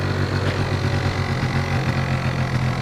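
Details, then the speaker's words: Two-stroke scooter with a carburettor fault and a lean mixture: with the choke removed it drops revs slowly and badly, and the idle sounds stretched and loose rather than crisp. It runs normally only with the choke. "Сейчас, если убрать подсос, смотрите, вроде потихоньку начинает работать, но обороты, слышите, сбрасывает плохо. Слышите, как мотор работает? Такой прям растянутый звук у него."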